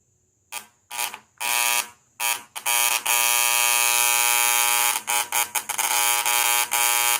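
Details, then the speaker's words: VW Beetle (Fusca) with rough, oscillating idle, misfires and high fuel consumption: tester buzzes briefly on distributor cap terminals, then long steady buzz at cylinder 4 terminal, with foaming and smoke showing current leaking there. "Eu não sei se é possível ver que ele forma como se fosse uma espuminha ali no pino. Então tem alguma coisa de muito errado aqui no pino do 4. E ele chega a sair até uma fumaça."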